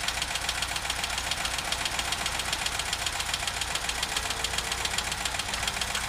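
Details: VW Vanagon T3 idling: a crisp, steady ticking or knocking of about four beats per second; strange smoke is also seen while the engine is cold.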